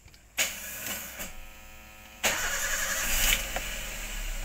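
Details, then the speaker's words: Toyota Avanza that shakes and lacks power, rear spark plugs already replaced, problem traced to the electric fuel pump: starts quickly then drops to a very low, shaky idle, an early sign of a failing fuel pump. "hidup tapi timing dia jadi sangat rendah oke dia rendah pasti izin bergoyang Mungkin kadang-kadang dia goyang nih"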